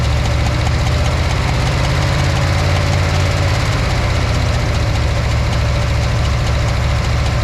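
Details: Eight-cylinder engine with a backfiring issue, idling with the cylinder 6 plug wire disconnected: a loud, lumpy, loping low idle, but no difference was noticed between connected and disconnected.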